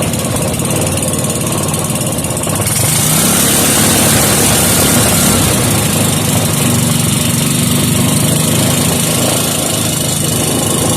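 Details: Briggs & Stratton 5 hp engine with gear reduction, after mixture screw adjustment, started without choke: steady even putter, no hunting or stumbling; normal idle.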